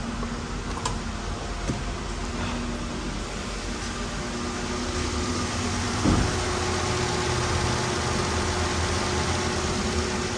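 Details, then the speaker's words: 2013 Jeep Wrangler Pentastar with flashing check engine light, P0303 cylinder 3 misfire and open-circuit codes for all six injectors: uneven, stumbling idle with irregular lope, lumpy after a rev, running rough. "still feels awful rough all right I'm gonna get the scanner out okay we've got all those opens and the fuel injectors and the misfire"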